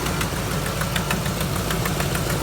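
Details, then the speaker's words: 2005 Ford F-350 with the 5.4L Triton 3-valve V8 at idle: uneven, stumbling idle with irregular sputters, barely idling, from a leaking main vacuum hose that tends to pop off, setting lean and O2 sensor codes. "see it runs like [ __ ] barely idle okay so the vacuum hose that is that is leaking just causing this thing to idle sporadically and not run good and throw a bunch of codes"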